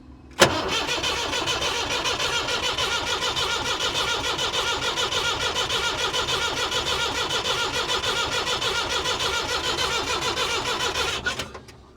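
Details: 1962 Lansing diesel forklift that won't start: steady fast starter churning for about ten seconds with even compression beats, never catching; squeal noted earlier, air found in the fuel system while cracking injectors, suspected fuel starvation.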